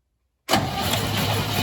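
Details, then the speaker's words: 1968 Chevy C10, believed to have a 307 V8, that sat in a field for decades with its engine locked; freed up and the watery oil changed: sudden steady, even cranking with no binding or clunks. Normal cranking. "okay stop that sounds different that's all right cranking very much how it should good"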